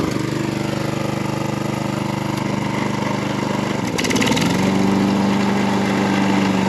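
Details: Garage-sale John Deere 14SB mower, test run after cleanup, a new fuel line and a new 6205 bearing in the previously noisy blade brake clutch. Even single-cylinder chug rising smoothly in pitch, with no grinding from the blade clutch; runs healthy.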